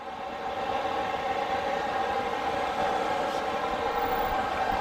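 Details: Newly installed diesel heater in a skoolie school bus conversion, left running after install: smooth, steady hum with even mid-pitch fan tone, no surging or rattles, putting out lots of heat; normal running at full fan.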